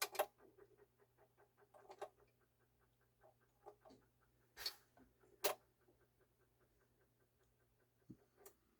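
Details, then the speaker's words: 1974 Pioneer PL-A45D fully automatic turntable, never serviced, on 12-inch setting: soft chugging ticks from the separate auto-function motor with louder clicks as the arm cycles; auto-return working normally. "There we go. Seems to be working fine."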